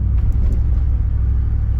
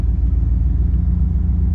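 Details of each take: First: 1991 305 TBI V8 with Flowmaster exhaust, at operating temperature, after replacing TPS, IAC, MAP, cap, rotor, coil, plugs, wires, fuel filter and O2 sensor: low rumble rising and sagging as throttle is feathered; warm engine still surges, cause unknown. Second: 1991 305 TBI that bogs once warm after many part swaps: with the AC on, idle rpm rises as it should; deep, steady rumble with even pulses and no miss.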